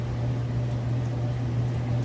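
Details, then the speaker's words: Whirlpool Estate extra-large-capacity electric dryer on auto dry, high heat, in excellent condition: smooth, steady low hum with soft even rumble, no knocks, squeals or scraping; normal running, heating confirmed. "go ahead and just hit go it's on auto dry high heat you can see in here that it sounds great"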